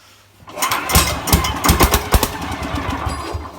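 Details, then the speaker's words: 1969 Sears Suburban 12 garden tractor with a 10 hp diesel, first start, hand-pulled cold in cold weather without ether on a new intake manifold and 1" NPT exhaust adapter: uneven heavy compression thumps, then one sharp pop that fires once without catching. "so you can't pull over a diesel it may not be easy but it'll go come on baby do it for the fans"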